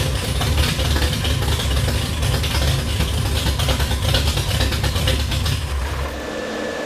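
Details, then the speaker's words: 1966 Plymouth Belvedere I restomod, 440RB V8 with 295 degree cam, aluminum heads, dual-plane intake and tube headers; first start after the build: loud, choppy, loping idle with deep exhaust rumble, about 1500 rpm settling to about 800; normal big-cam idle. "So that was idling at about 1500 RPM. Gets down to 800 or so. It sounds like a washing machine with a bad belt and washing a bunch of pistons or something in it."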